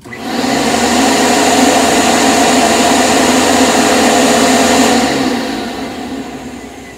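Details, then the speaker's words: Trash-find Panasonic MC-6347 vacuum, motor run with the mic held close: a steady high-pitched whir holds, then winds down smoothly. The motor sounds healthy; the brush roll has only a slight click. "To me, it sounds pretty good."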